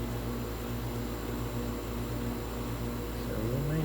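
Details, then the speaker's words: Tempstar heat pump outdoor unit, service call for no heat in house: steady low hum with fan whoosh, no knocking or rattle; compressor running normally with some warmth, fault later found as no indoor blower. "okay i think i hear the compressor [Music] and a little bit of warmth happening pretty"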